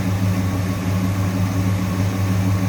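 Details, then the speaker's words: 1966 Ford Fairlane 500 GT convertible, 390 V8 with four-barrel and four-speed manual, idling: a steady, even low rumble with no ticking or misses, a smooth-running engine. "also sounds good a little strange noise with just a smooth running engine"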